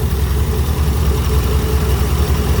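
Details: C4 Corvette after power steering leak fix, first start of the morning; an unidentified groan, owner unsure if belt, fades after about 20-30 seconds, leaving steady low idle rumble with no groan or whine; running normally.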